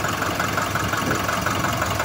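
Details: Nissan NV350 diesel after repair of knocking, previously injector and intake manifold cleaning, white-ish smoke noted: steady even diesel clatter at idle, no odd knock; normal idle.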